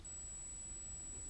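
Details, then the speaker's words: LED strip light controller's on/off switch unit recorded close up, giving a thin, steady, irritating high-pitched electrical whine over quiet room rumble; it is the source of the LED strip buzzing. "now this is what is actually causing all the noise and I'm gonna put it the camera really close to it so you actually hear it"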